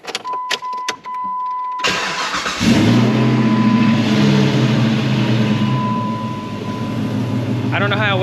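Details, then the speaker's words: Jeep engine cold start: cranks, catches, then hard rattle until oil pressure builds, then runs fine; previously mis-timed with bent valves; owner suspects rod bearing issue with metal dust on crank sensor. "it rattles it's off until it gets oil pressure and then it runs fine"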